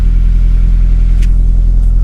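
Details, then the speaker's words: Honda Accord (1998–2002) that had cranked without starting in the cold, starting easily after the fuel pump relay was addressed: deep, smooth, even idle rumble with no misses or hunting. Normal idle. "that it's started without struggle this time"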